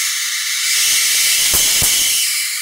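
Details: Fujitsu CRT monitor flyback tested in circuit at 100 percent on a variac: sharp, sustained hiss with a brief loud crackle mid-clip, suggesting high-voltage arcing or corona; suspected, not confirmed.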